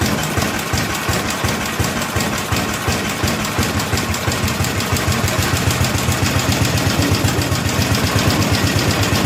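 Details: 1964 Cushman Scotsman golf cart single-cylinder, governor disconnected: chuffs at fast idle with slightly uneven hunting beats during carburetor screw adjustment; still needs tuning, cause not pinned down.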